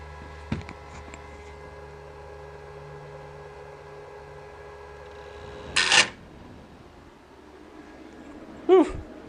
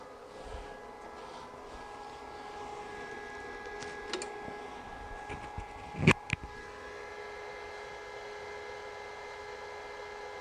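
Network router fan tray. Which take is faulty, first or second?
first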